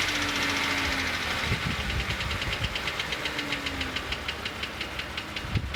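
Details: 2008 Jeep Wrangler JK at idle with quick steady ticking, about two to three clicks a second, appearing on start-up; persists after an oil and filter change, cause unknown.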